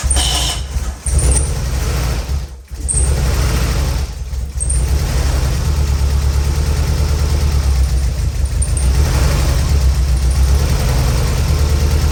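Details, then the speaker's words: Race car on a troublesome jump box: steady starter churn with even cranking pulses for several seconds, never catches; owner suspects ignition timing slightly off. "Definitely feels like timing might be a little off, but what do I know?"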